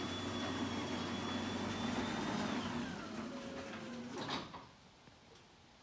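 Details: Newly installed LiftMaster 8550W garage door opener on a Clopay door: steady, smooth motor drone with an even whir winding down cleanly as the door stops; normal operation.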